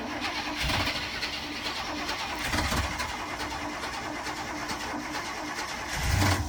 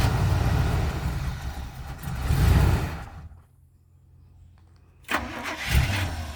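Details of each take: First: 1985 Winnebago Windsor motorhome, 454 big-block V8 with Turbo 400, 32,700 miles, sat nearly 17 years, run on temporary bottle fuel feed; cranks, catches, runs even and steady with no knocks or misses, oil pressure good; engine starts and runs. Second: 1985 Winnebago Wind Cruiser, 454 big-block V8, Turbo 400, 32,700 miles, unused ~17 years: rough V8 catches, runs seconds, dies, refires; oil pressure present, keeps running only while fuel is fed. Cause unconfirmed.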